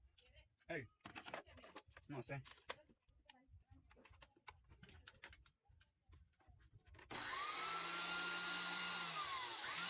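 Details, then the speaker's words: Man blender that wouldn't turn on, after replacing carbon brush with a new longer one: handling clicks, then motor starts with steady high whir of even pitch; smooth healthy run after repair. "Ahora probamos. Listo. El motor queda en funcionamiento."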